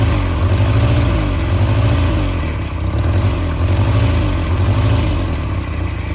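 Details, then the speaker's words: Peugeot 403 pickup engine first started after about 22 years abandoned, throttle butterfly freed: low idle with uneven throb swelling about once a second; rough idle, owner suspects one cylinder not firing well. "Yes ! Bon, allez, ça tourne, il y a un cylindre qui doit pas trop trop bien donner."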